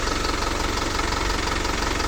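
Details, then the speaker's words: Hino 300 diesel truck with low power, hard starting, stalling and fuel-line noise, after fuel filter replacement. Steady, even idle with a regular low beat, no misses or stumbles: normal idle. "Okay na isa pa nga start yon goods na goods"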